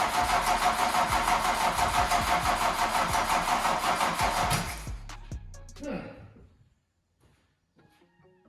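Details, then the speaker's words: Mk2 VW Golf barn find, first start attempt after adding fuel: starter turns engine in slow labouring pulses about three a second, fading and stopping after five seconds; battery going flat, jump start planned. "no at the moment it looks like the battery is going to dies off so uh I think I need to jump these on it off the teapot and uh try again"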